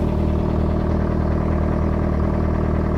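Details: Tender outboard idling on a freshwater flush to clear salt: steady low throb with even firing, no misses or knocks. The telltale is spitting water; running healthy.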